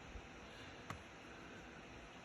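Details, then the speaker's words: Laptop cooling fan running flat out: a constant airy whoosh with no pitch changes and one small click; loud fan noise. The fix shown is adjusting processor power management in Windows power options; cause not confirmed. "gonna make a video to show you how to make your laptop not make so much noise as you can hear mine's being really loud"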